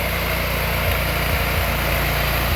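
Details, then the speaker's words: John Deere 216 lawn tractor engine; low drone with occasional stumbles breaking the rhythm, still water and debris in the fuel; owner plans another carburetor clean and new air filter. "It's going to run a little bit rough. Still a little bit of water in the gap. Had some debris in there."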